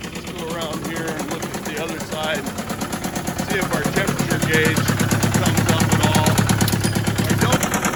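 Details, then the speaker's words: Case 188D tractor diesel, smoking heavily, valve lash checked and the number one injector replaced, with no water-oil mixing; a hard, regular rap over the clatter, seemingly from higher up in the engine; knocking, cause unknown. "i think it's kind of making a bit of a knocking noise and seems to be from higher up in the motor"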